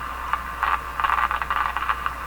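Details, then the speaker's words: General Electric KL-70 AM/SW radio with Beam-A-Scope loop antenna: irregular crackling static bursts over a faint low hum when the knobless tuning shaft is grabbed; loose shaft-to-chassis connection suspected. Static crackle. "that's what's going on with this when I grab this potentially there's staticy you know it's as quiet"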